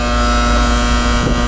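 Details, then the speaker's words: 2022 AC system under nitrogen leak search: loud, constant low electrical buzz staying steady while the unit runs; the contactor is buzzing annoyingly. "That contactor is really annoying."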